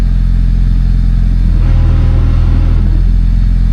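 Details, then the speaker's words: Honda Civic EJ9 hatch after a spare gearbox swap, wheels turning in reverse: heavy low drone with a rough, uneven clatter like gears grinding; release bearing also noisy, cause unconfirmed. ">> Yeah, it's turning, but it's making noise as if the gear's grinding."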